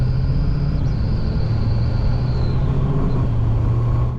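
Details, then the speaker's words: Rebuilt BMW E92 M3 with a custom exhaust built around the standard box: an intermittent thin, high whistle over the engine rumble, only at very light throttle. It seems to come from the intake side; the source is unknown. "But it's only when I put my throttle down a very small bit, you can hear like a whistling noise, and it sounds kind of like it's coming from over there and on the intake."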